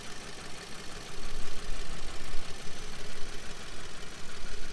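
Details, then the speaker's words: 2016 Subaru WRX Limited, owned six years, idling steadily: a light, fast ticking from the loud lifters. This is ordinary lifter noise on this engine, not rod knock. "Also want to point out that these engines are very noisy. The lifters are loud and you'll hear a lot of ticking. That is perfectly normal. It is not rod knock and your engine is not going to blow up."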